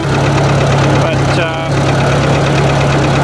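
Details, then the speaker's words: Ford 800 tractor idling before lifting a heavy disc: a steady, loud idle with a light, quick tapping over the low engine note; the owner worries it may blow the engine, and the cause is not pinned down. "I still got a tapping in there, like and I don't like the sound of that, so this might blow an engine today."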